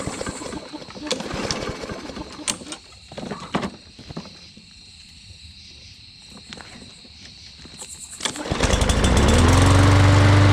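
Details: Push mower, oil checked and cover refitted; spark plug (Champion RC12YX) and dirty, oily air filter not yet serviced, as the mower had been tipped the wrong way. Handling noise, then it fires and settles into a steady, even drone with no misses; healthy.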